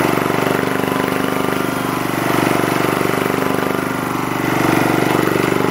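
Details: Lister Petter AC1 4 kVA single-cylinder diesel generator, 1980s British, 3000 rpm, fired almost first turn after earlier no-start suspected from air after leaky fuel tank; even quick thump, gentle load rise and fall; normal healthy running.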